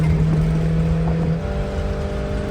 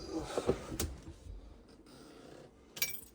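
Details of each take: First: Vintage motorhome V8 after fuel-injection conversion, running on battery power only with static timing not yet set, pulling in third gear at under half throttle: deep, even drone with no stumble or misfire. Acceleration is normal. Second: Vintage motor home converted from carburetor to fuel injection, first start attempt on temporary battery wiring: starter spins the engine steadily but it never catches. Gauges show only 2.5 lb fuel pressure against about 50 PSI needed; crank no start from low fuel pressure.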